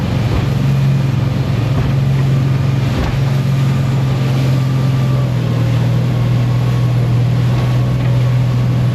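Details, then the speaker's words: Boat engine underway across the Strait of Georgia: steady low engine drone under wind with brief dips where the beat falters and sags; engine cutting out intermittently. "That's until the boat had other ideas. If you listen closely, you can hear the engine cutting out."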